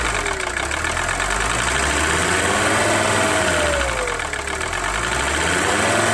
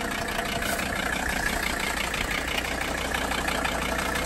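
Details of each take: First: 1982 Mercedes 300SD turbo diesel, previously non-running, after fuel system work and a fresh battery: idles on its own with the usual light clatter, about four beats a second, steady and even; normal diesel idle. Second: 1982 Mercedes 300SD turbo diesel, last run about two years ago and just revived. Steady, loud diesel clatter at idle with slightly uneven chuffing pulses, so the idle is rough. The owner plans a diesel purge to smooth it; the cause is unconfirmed.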